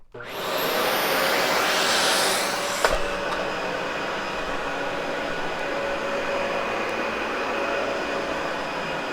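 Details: Cleaned, practically brand-new Dyson UP13 upright vacuum: motor spins up quickly to a smooth, steady airy roar with no rattles or pitch wobble; normal running.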